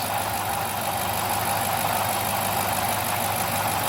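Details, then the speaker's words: 2008 Dodge Charger at idle: metallic grinding gurgle under light quick injector ticking; owner suspects timing chain tensioner malfunction inside timing cover letting chain flop, also considering belt pulley or water pump; unconfirmed. "you can hear the kind of grinding gurgling metal metallic"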